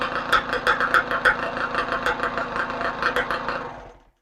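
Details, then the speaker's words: Rebuilt 2015 Yamaha YZ125 two-stroke, new crank seals and top end, cleaned carburetor, no muffler or gas tank: crisp revving in quick bursts then dying off, no knock or rattle; runs fine. "It works pretty good."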